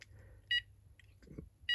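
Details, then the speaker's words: Texecom Veritas Excel alarm panel during programming, tamper spring held with zone 1 disconnected: short high single beeps about a second apart, meaning zone 1 is open (1–8 beeps for zones, 9 for tamper). "and you can hear that I'm just getting 1 beep. That means that zone 1 is open."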